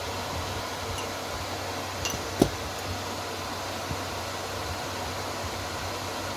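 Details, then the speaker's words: Repaired inverter welding machine now working: steady, even cooling-fan hiss with faint relay clicks and no rattle or grinding; normal running. "As you can see, the welding machine is working now."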